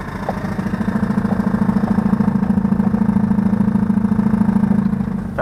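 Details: 2005 Chevrolet Tahoe, new power steering pump knocks, about 2-3 per second, at idle when turning the wheel or pressing the brake, louder as fluid warms, gone with throttle; valve and steering box replaced, hydroboost bypassed, knock remains.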